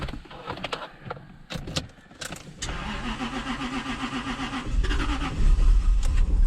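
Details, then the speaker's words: Jaguar V8 with completely dead battery, started on boost mode of a TackLife T8 Pro jump pack. Short crank then catches and settles into steady even idle: normal crank and start. "That jump pack literally started this car."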